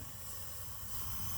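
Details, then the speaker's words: Vortec 350 small block Chevy inspected before install in an '86 GMC, leak-down test on cylinder with both valves closed: soft steady hiss of air escaping at intake and exhaust; valves not seating, no air through valley so rings good. "okay you guys hear that air flowing both valves are closed and you can hear the air see that same thing on the exhaust side so that's telling us that our valves aren't seating"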